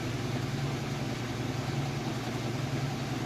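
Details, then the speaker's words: Kenmore 400 Series Super Capacity Plus washer with a very heavy test load, at full-speed spin: even low hum and steady drone with no thumping, banging or scraping; runs smoothly and balanced. "you can see it's nice smooth operation sounds great"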